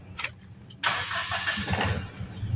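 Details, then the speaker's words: Mitsubishi Pajero/Strada Triton diesel started after repairing a diesel leak into the engine oil: short crank, then clean catch and steady even idle with no knocks; healthy start, oil to be checked for diesel. "Sekarang kita coba hidupkan mesin dan nanti kita cek ek kondisi oli mesinnya seperti apa"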